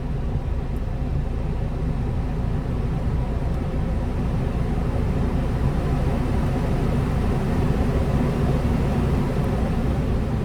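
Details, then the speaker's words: 2017 BMW X1 dash blower after fitting a new blower resistor: steady, even rush of air with no ticking, whine or scraping; running normally and blowing stronger than with the old resistor. "I do feel that is blowing a lot stronger than it was with the uh older version"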